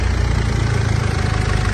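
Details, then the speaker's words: 2014 Mitsubishi L200 Triton 3.2 diesel, 254,000 km, after timing chain kit replacement for chain noise that grew when warm: steady smooth idle with no chain rattle, no oil leaks. "o barulho dela aí ó zer zer sem barulho de corrente não vazou óleo sequinho"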